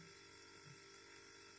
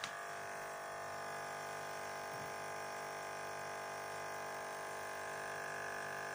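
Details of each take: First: Refrigerator compressor (motor section) running with its normal steady hum; the rattle stopped because the loose defrost water tray is being held by hand. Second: Running fridge compressor with a steady, harsh electric-sounding buzz on top, from the loose evaporation water tray on the motor at the back vibrating; buzz eases when the fridge is shaken.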